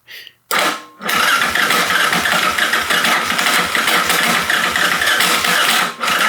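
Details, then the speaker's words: Rebuilt Yamaha Raptor 660 with an aftermarket stator, first start attempt without choke: a short crank, a pause, then a long, uneven whirring crank that never catches; starter clutch slipping rather than turning the engine. "Oof, it sounds like the starter clutch might need to be replaced. It really does."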